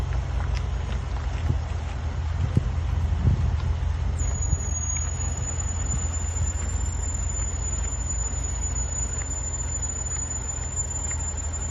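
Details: Range Rover Sport SVR braking: thin piercing steady high squeal over road rumble, persisting 10 months despite chamfered lubricated pads, new pads, discs and calipers.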